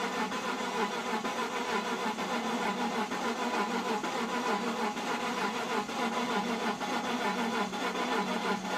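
Starter churns the engine over steadily for the whole stretch but it never catches or fires up; cranks with no start.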